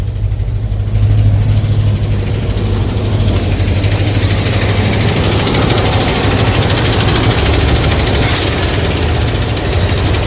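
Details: Early-1980s Ford F-150 donor truck: loud, steady idle with an uneven, lumpy beat while the carburetor air-fuel needles are tweaked, vacuum gauge in the normal zone; the owner fears rod knock. It runs rough, cause not pinned down.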